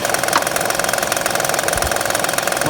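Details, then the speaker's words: 2009 Honda Pilot 3.5 L V6 at idle, timing cover off: fast, regular, sharp hollow knock in step with idle, which the customer feared meant a shot engine; the bad timing belt tensioner is visibly jumping, and holding it quiets the noise. "Customer brought it in thinking that the motor was shot because they heard this knocking noise. They took the timing cover off, and you can see the tensioner jumping around real bad."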